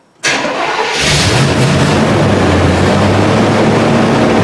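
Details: Engine with manual fuel pump on a completely dead battery, jump-started with a portable jump starter in cold weather: brief strong crank that catches almost at once, then steady fast cold idle. Normal crank and start.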